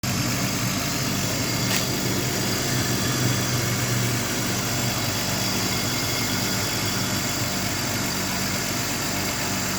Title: Bmw e39 m52b28tu, rough idle, leak and misfiring. Any ideas whats the issue?